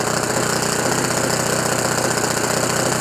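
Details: OS FS 91 Surpass 15 cc methanol four-stroke glow engine, crash-repaired with new crankcase cover, carburettor body, ring, bearings, epoxy cold-welded exhaust, first start break-in very rich on what is probably a Graupner 14x7 prop: fast steady high-rev buzz, even beat, no misfire; vibration normal for a four-stroke.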